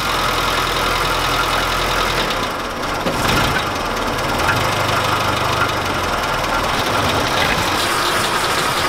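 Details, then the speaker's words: Suzuki Samurai small four-cylinder at idle after oil change: faint, quick ticking over a steady hum; valves suspected never adjusted, owner considers a valve job. "do a valve job because it does have a little tick they all do but it probably has never been adjusted"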